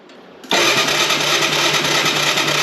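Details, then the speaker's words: Neglected Moto 4 200 quad cranked on its electric starter with a jumper pack: a fast, even whirr with no compression pulses or firing. A compression test shows no compression, and the owner thinks it needs a top end. "but uh we ain't got no compression well I might have to agree that it might need a top end"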